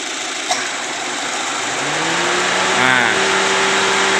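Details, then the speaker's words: Chevrolet Spark 1000cc that stalled with AC on, fixed by wiring ISC idle-up from the AC compressor circuit: compressor clicks in, idle lifts slightly and holds steady without stumbling or dropping; normal now. "begitu ya dia udah normal"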